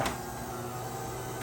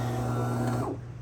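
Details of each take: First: DeLonghi Magnifica S coffee machine after the faulty grinder motor was replaced. A steady, even motor hum with a clean run-down at the end, and no rattles or strain. The grinder sounds healthy after the repair. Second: DeLonghi Magnifica S before repair: it powers on but makes no coffee, with two lamps lit together, first suspected as a clogged grinder. A low, steady motor hum strains for under a second and dies without grinding. Testing later found the grinder motor faulty.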